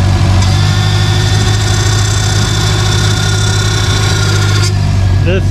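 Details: Forester STI build at first start, new fuel system, power steering system fully drained and being bled by turning lock to lock with car raised: thin steady high-pitched whine over rough idle, cuts off abruptly; cold aerated pump.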